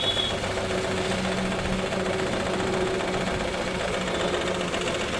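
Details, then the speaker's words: Maruti Suzuki WagonR K-series idling with check engine light blinking: rough, uneven chattering idle and heavy engine shake, one cylinder dead, also consuming oil; mechanic suspects overheating too. "और इसका जो engine mounting है ये जो sound है इसकी वजह से आ रहा है क्योंकि देख सकते हैं इंजन कितनी बुरी तरीके से वाइब्रेशन कर रहा है और गाड़ी मिसिंग भी कर रही है"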